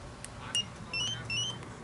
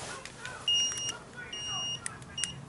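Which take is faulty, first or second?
second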